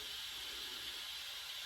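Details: GMC General truck with Detroit diesel, air system only building 40 psi, engine off: steady thin high-pitched hiss from one small leak in the air brake system; owner might try to fix it.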